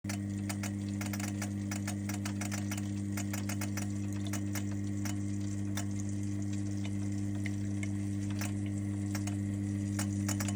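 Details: Lay-Z-Spa hot tub: steady pump hum with rapid, uneven clicking, about three a second, from a faulty water flow sensor causing a constant E02 error.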